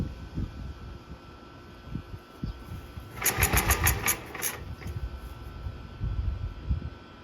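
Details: 1943 Gravely Model L after a weak-spark magneto was swapped for a rebuilt Wico magneto: a few uneven pops, then a burst of sharp firing settling into a rough single-cylinder chug; the engine starts and runs.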